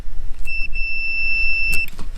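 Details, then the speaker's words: Multimeter continuity test on a disconnected water heater element with the power off at the panel: a steady high beep over low room hum shows continuity, so the element is good. No sound would mean a bad element. "that element's good. If I didn't get that sound, that means that that element is bad."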